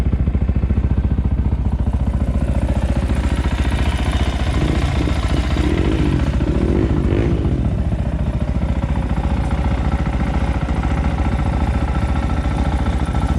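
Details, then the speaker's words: 2020 SSR Motorsports SR300 single-cylinder dirt bike with Lectron carburetor, warming idle set to about 3400 rpm: fast, very even patter, no misses or surging; normal idle, runs better as it warms. "the idle set to about 3 400 rpm it sounds really good there it's very even as the bike warms up it actually starts to run even better too like most machines"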